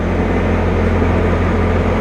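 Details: Bobcat T590 with both drive motors faulty, at low idle in full forward: steady low diesel idle with even hydraulic hum under load, no knocks or grinding; this side's track pulls normally, unlike the other.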